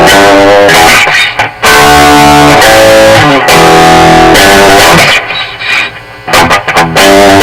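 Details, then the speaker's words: Mesa Boogie .22 Caliber tube guitar amp after repair and service, test played cranked up: guitar chords and riffs clean and loud, no pops, crackles or dropouts. Normal tube amp operation. "[Applause] I would say it works pretty good a template to five years but I would say it's good"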